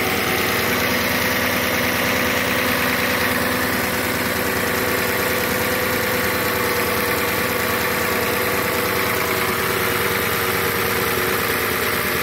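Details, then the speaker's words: 2007 Audi S8, about 73,000 miles, cold start after sitting at least a month; smooth even idle with high-pitched secondary air pump running in background and fine quick injector ticking; quiets slightly as it warms; normal cold idle. "You can hear a high-pitched noise. The air pump is running in the background. Other than that, I don't hear anything besides the normal injector noise."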